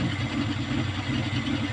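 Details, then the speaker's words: Kia Pride at idle before repair: uneven, lumpy idle with a rhythmic stumble as one cylinder drops out; misfire, later traced to a carbon-fouled spark plug. "yan nag-miss firing pagka ganyan Ano lang yan spark plug pero h natin alam kung anong spark plug ang hindi gumagana"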